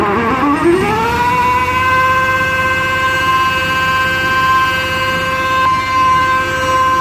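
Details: Mini hydrovac vacuum rig: 3.8 L V6 supercharger (likely M90 rotors) plumbed backwards, 15 hp Chinese motor at idle, thought to hit about 20; siren-like howl climbs fast then holds high; supercharger pulling hard vacuum as expected.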